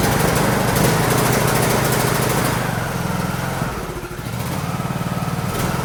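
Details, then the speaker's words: John Deere D105 lawn tractor with Briggs engine and 42-inch deck engaged, engine beat swelling and dipping; engine surging. The owner suspects governor hunting causes the deck vibration, which is smooth when idled down. "You can feel the vibration in the tractor, but when you idle down, it's smooth. So I think the motor is hunting a little bit, and that's what's causing the vibration in the mower deck."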